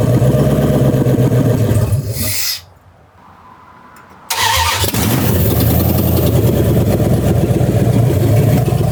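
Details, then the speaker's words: Dodge Ram 2nd-gen single cab on first start after engine assembly: after a brief crank and pause it runs loud and rough with uneven clatter near four per second; the injectors seem to work, and the cause is unknown. "Wow, it's making noises. But it's also started. That's pretty cool."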